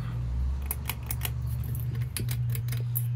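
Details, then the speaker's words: 30in Home Trends Rainbow Hugger ceiling fan on a porch, run in reverse: low steady motor hum with sharp irregular ticking and rattling; fan shaking on a loose, flimsy mounting bracket. "it's really loose too because that flimsy bracket least flimsy bracket"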